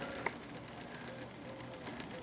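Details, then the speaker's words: Smith Corona electric portable typewriter: quiet motor hum with irregular light clicks and ticks as the pulley hops; original drive belt kinked from sitting 30 years, replaced with O-ring belts that run smoother. "And when that happens, this pulley will hop a lot. Let's see if it hops. It's hopping and it's making a little noise."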